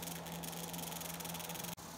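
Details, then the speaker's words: Electric roller vane fuel pump tested for a waste oil burner, cranked to full power drawing 13 amps: strained steady low hum with harsh buzzing rattle, pump labouring and chattering; suspected roller impeller type, cause not confirmed. "I'm going to go ahead and crank it up here full power and see what it will do sure hates that it's 13 amps and it sounds miserable"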